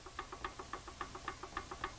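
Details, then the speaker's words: Dana 44 (216RBI) axle before overhaul, rocked by hand: quick metallic clicks, about seven a second, as gear backlash clunks, showing no side bearing preload. "If I can make that sound just by laying my hand on there and jiggling it back and forth, I already know my I don't have any side bearing preload."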